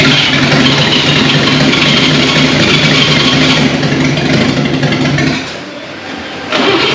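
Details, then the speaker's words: 1939 GMC COE 4x4 cab-over six-cylinder, first start in 60 years: rough sputtering, firing on only two to four of six cylinders; later traced mainly to updraft carb fuel delivery and wet spark plugs. "all right so at this point you can hear the truck is sputtering it's hitting on three four two cylinders out of the six"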